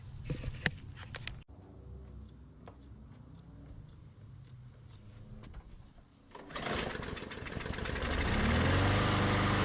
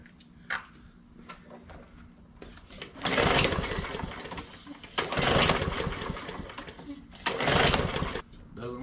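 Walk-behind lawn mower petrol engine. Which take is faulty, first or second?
second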